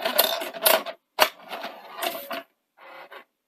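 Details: Sanyo VTC-NX100 Betamax with no deck functions, after replacing the blown semiconductor fuses: short bursts of whirring and clicking as a blank tape loads and moves, no grinding or stalling. Deck mechanism working normally.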